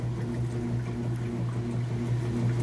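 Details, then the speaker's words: Whirlpool washer (matching set with electric dryer), agitation cycle on a large load: steady low churning hum with gentle back-and-forth swish, even and unstrained; nice strong normal agitation. "now we're on to the agitation it's an excellent job nice strong agitation getting those clothes real clean"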